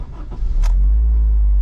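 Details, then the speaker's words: Worn engine mount: loud, steady low vibration drone heard in the cabin at idle, felt slightly through the seat, changing somewhat with engine RPM as revved; less so in reverse. "I don't know if you guys can hear that, but it's really loud vibration, and it's mostly heard. You can feel it a little bit. And it has to do a little bit with engine RPM."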